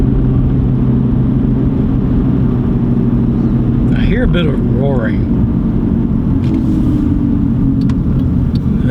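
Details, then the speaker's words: Used car bought from a title pawn pulls away through second, third and fourth gears with a steady deep roar or whine like a semi, heard at the rear. Owner suspects a rear wheel bearing. "yeah so I don't know if you can hear that that roaring or almost like a a deep whining noise kind of like a semi driving down the road that's about what it sounds like"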